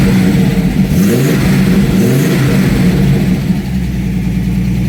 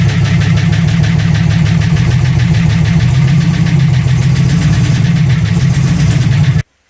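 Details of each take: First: TVR running MS2 (MegaSquirt) ECU after converting from unreliable TFI ignition to VW/VAG coil packs; engine catches and revs cleanly with strong even exhaust note, then settles toward idle without stumbling, healthy. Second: TVR on MS2 ECU converted to VAG coils running: deep, lumpy exhaust pulse about four beats a second that stumbles until shutdown; spark test showed coil output C dead, traced to a loose solder on the connector.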